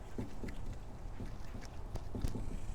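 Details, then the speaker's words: Mercedes CL500 driven over bumps before a strut replacement: irregular hollow clunks and rattles at each bump over low road rumble; worn-out, broken front strut with a torn mount, sitting crooked. "Yeah, there's something that has broken along this path right here, and because this is broken, this is so worn out and torn, it's unbelievable. You hit a bump and it rattles like crazy, okay?"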